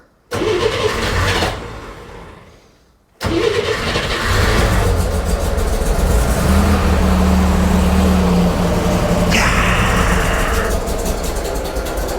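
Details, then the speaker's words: Flooded Corvair on new custom fuel injection, first fire-up: cranks, pauses, catches and stumbles unevenly before picking up revs; too rich on startup, fixed by reducing startup fuel and warm-up taper. "so I had just a little bit too much um startup fuel in it backed out just a little bit of fuel in it and took out some of the warm-up taper"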